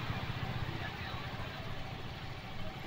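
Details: Motorcycle with carburetor petrol overflow problem, after carburetor repair and refit, petrol tap on: steady single-cylinder putter at idle with even firing, no misses or rattles, no fuel overflowing; normal idle.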